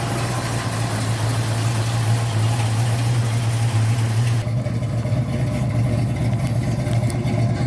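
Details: 1972 Ford Mustang Mach 1 with rebuilt 351 Cleveland Cobra Jet V8, Wolverine Blue Racer cam (510/536 lift, 290 duration), not yet warm, light throttle around 2,000 rpm: deep steady burble with big-cam lope, nothing amiss.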